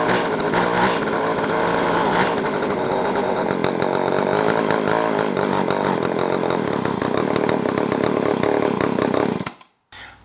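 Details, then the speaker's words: Jonsered 520SP chainsaw, just reassembled after an engine teardown to replace the oil line, all filters, gaskets and hoses; the fuel line is too loose: a ragged, wavering high-rev buzz, then it cuts out. The owner suspects the carburetor needs adjustment. "We got the chainsaw back together with the oil line installed. We still have a couple of things to do. It sounds like the carburetor may need some adjustment."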